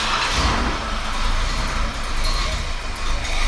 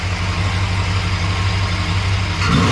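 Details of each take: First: 1968 Chrysler Newport V8 with new electric fuel pump, regulator and pressure gauge, regulator turned all the way up; runs loud but uneven, surging and sagging without settling: rough running, setup won't work. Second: 1968 Chrysler Newport V8 with electric fuel pump, pressure holding 6 to 6.5 psi, the wanted range for its 750 carburetor: steady idle, then a quick clean rev on the throttle blip that settles without stumbling; healthy.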